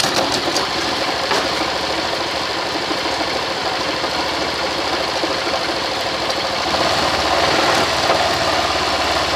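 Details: Motorcycle in first gear under load with the brake applied, after fixing a periodic noise once per chain-drive revolution by fitting a smaller sprocket: steady, even sound with no periodic clunk from the chain drive.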